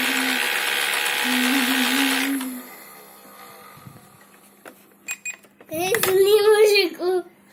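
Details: Ilife V7s Pro robot vacuum running with a rough hiss and wavering, strained whine before shutting down; screeching suspected from the main brush motor, not confirmed.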